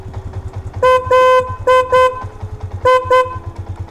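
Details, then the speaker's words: Cheap 12V snail horn fitted to a Yamaha MX King without a relay, sounded with the engine idling, which makes it louder. Three pairs of strong, steady mid-pitched toots, each clean and full: normal horn operation. "jadi kalau misalnya posisi mesin hidup dia lebih keras Jadi hampir sama dengan menggunakan relai tanpa dihidupkan gitu mesinnya"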